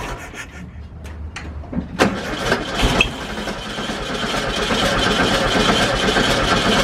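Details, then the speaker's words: VW Bus first start, oil at full, on starter fluid: starter churns, engine pops and briefly catches but won't keep running; no fuel smell at carburetor and a leak found underneath, fuel starvation from leaking fuel line. "You saw it started up and ran for a second. I didn't smell any gas coming from like the carburetor. And I looked underneath and we got a leak."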